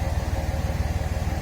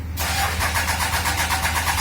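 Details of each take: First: 5.9 Cummins diesel after the failing starter was replaced with a new one. Low, even idle pulses with no knocks, misses or rattles; the new starter sounds healthier than the old one ever did. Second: 5.9 Cummins diesel with two-year-old batteries and starter. Cranking is sluggish and hesitant, about six compression pulses a second for two seconds, before it fires and settles. The owner suspects the starter motor, which is under warranty.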